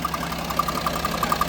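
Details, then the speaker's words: Range Rover Sport diesel idling, owner told new turbo/engine needed: quick light fluttering taps, about seven or eight a second, from the EGR vacuum solenoid/actuator; stops when held or vacuum disconnected, not engine knock. "You can hear a slight noise over here, which is coming from the EGR. Is that the noise you're talking about? The noise? The fluttery noise?"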